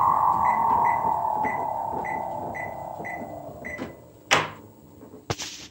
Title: Image 15.5s treadmill with bad motor bearings